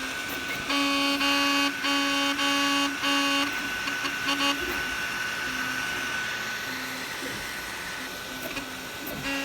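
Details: Anycubic Kobra 3 3D printer, little used, everything tight, making loud car-horn-like honking tones in rhythmic bursts as it moves; began after a print failure and a software update; the print head wasn't clogged and the cause is unknown.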